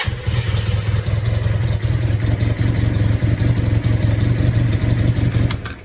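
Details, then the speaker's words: 1986-87 Honda CB450S after an engine swap, no-start traced to the starter motor, slightly warmed up with battery recharged: engine catches and settles into a steady, even low idle with no misses or knocks. "so now she did warm up little bit and recharge the battery and now she starts like"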